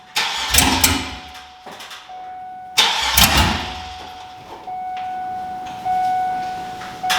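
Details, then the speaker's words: Monster truck school bus, sat all winter, started on poured-in gas with no exhaust fitted and fuel system not hooked up: repeated cranking catches in sharp, very loud barking bursts that die back between tries, coughing to life on open pipes. "today we're gonna see if this thing runs no exhaust it's probably not going to be happy but is what it is"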